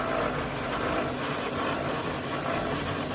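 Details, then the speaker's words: 2013 Infiniti JX35, noise while driving, heard in drive on a lift near the transmission and transfer case: a steady rough drone with a faint whine, diagnosed as a damaged transfer case. "con mi experiencia que tengo, yo puedo determinar que hay un problema en el transfer case. Este ruido está viniendo acá del transfer case."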